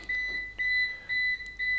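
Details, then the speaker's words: APC Back-UPS BX750MI running on battery during a homelab stress test: loud, rapid beeping about twice a second with faster-blinking LED as the battery reaches its remaining-runtime limit, just before power is lost. "macht sich bemerkbar durch lautes schnelles Piepen man sieht's und man hört's auch ne also die LED blinkt jetzt schneller man hört das Piepen"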